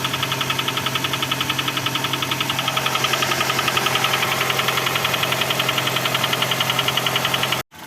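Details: Honda Accord 6 (CF3, F18 engine) at warm idle: sharp, even ticking knock about 3.7 per second; persistent internal engine knock.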